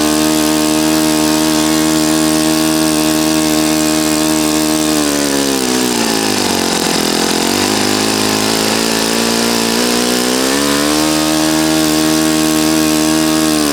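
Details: Customer's Saito FA-40a four-stroke glow engine on 11x6 Master Airscrew prop, Omega 10% fuel, new glow washer, valves set, high-speed needle opened 2.5 turns: smooth even high-pitched buzz, briefly sags then picks back up cleanly; normal healthy running.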